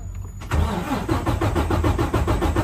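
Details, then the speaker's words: 2020 Freightliner Cascadia DD13 diesel, about 954,000 miles, after valve adjustment during automatic compression test; even steady cranking with regular compression pulses, no struggle or sputter as before: normal cranking. "you can already hear the difference when it cranks it doesn't have that struggle"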